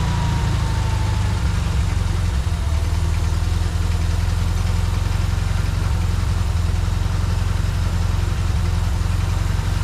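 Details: 1952 VW barn-door bus air-cooled engine with the carburetor gravity-fed to rule out fuel pump pressure: the idle stays high and hunts, surging and sagging; the idle mixture screw bore is suspected damaged, and a replacement carburetor was ordered.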